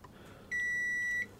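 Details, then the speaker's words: PlayStation 2 Slim board damaged by bench PSU overvoltage: single steady high continuity beep under a second shows the board still shorted after removing the faulty capacitor. "Well, I've removed that faulty capacitor, but I've still got a short on the board. Yeah, I've still got a short. I tested that before and it wasn't coming up short."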